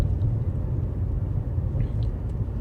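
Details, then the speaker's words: 2012 Nissan Altima SR V6 on a test drive after repairs, fuel far below empty: even low road rumble while cruising, no clunks, clanks or knocks; drives smooth, brakes and steering good. "So far, smooth. Brakes feel good. The steering is phenomenal."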